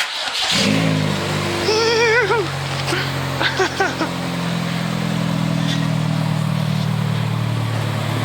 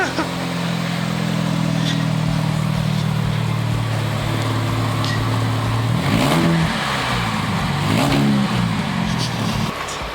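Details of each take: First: Car with exhaust split in half after hitting a speedbump, before split-flange repair: engine revs loud and raw with harsh unmuffled rasp over a deep drone; exhaust leak. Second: Friend's car after a speedbump smashed and split the exhaust, now repaired with a split flange after cutting out rusty studs: engine idles then revs up and down twice with a clean, smooth note, no blowing or rasp; exhaust sealed.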